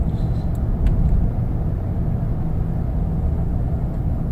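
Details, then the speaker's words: Trailblazer with 4L60E transmission, fixed after P02764 code, no overdrive and limp mode, PWM delete: pulling away from a stop, engine climbs and drops cleanly through first-second-third shifts, firm and smooth. "We got a green light now, and let's listen to our shift. First, second, third,"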